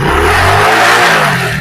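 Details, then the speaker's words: Hero Splendor iSmart 110 with a charging-current problem, started after installing the wiring and coupler with the CDI checked OK: the single revs cleanly and settles back, firing evenly with no misses. Normal running and revving. "अब bike को start करके देखते हैं current बनाता है कि नहीं बनाता है बाइक स्टार्ट होता है कि नहीं होता है देख दोस्तो बाइक हमारा स्टार्ट हो गया"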